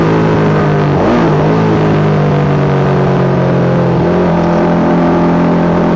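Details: Yamaha YZ450 single in supermono race bike: steady hard note with a stumble near the start; intermittent misfire, worse after a couple of laps; carb, fuel, breathers, ignition, coil, generator changed, cause not found.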